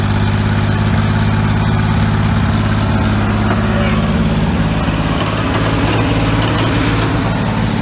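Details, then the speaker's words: 1950s roller engine saved from scrap, first run after revival: heavy, steady, slow chug with no knocks or misses, running reasonably well while smoking as coolant drained from the head burns off. "wo heck yeah baby it actually sounds like runs halfway decent look at that smoke"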